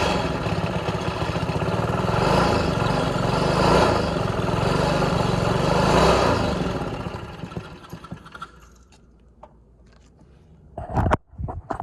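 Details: 3 hp Briggs & Stratton engine, first start after rebuild: small single runs at a fairly regular quick beat for several seconds, then shuts down with some clatter; sounds healthy.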